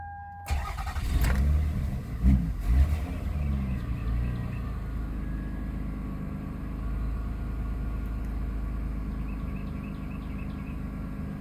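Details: 2002 Toyota Avalon (Gen 2) with crank-no-start: brief crank, then the engine starts and idles steadily with the mass airflow sensor unplugged, pointing to a dirty MAF sensor.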